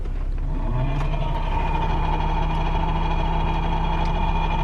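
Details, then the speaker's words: BMW E90 330xi 3.0 petrol (190 kW) idling with AC on: a fast, even rattle even at minimum fan speed from the worn blower fan under the glovebox, which is then replaced. "okay the second part i wanted to show you is the rattling noise if i turn on the ac"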